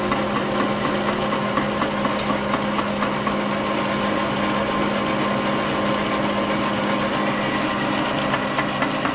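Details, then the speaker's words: Logan Model 1922 lathe running after replacement of the change gear stud: a steady drone and hum with loose, irregular knocks from the gear train, cause not found. Intermittent banging. "sounds good except for this banging"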